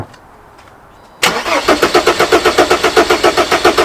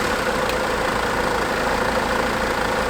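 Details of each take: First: Not good. Not good. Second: Mercedes W209 CLK 270 CDI diesel after injector seal replacement for black death; even idle, steady rhythm, no chuffing from the injector and no fuel leaks, some carb-cleaner smoke from exhaust, running fine, normal idle.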